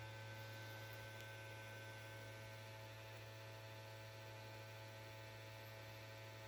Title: ps5 making noise and won't turn on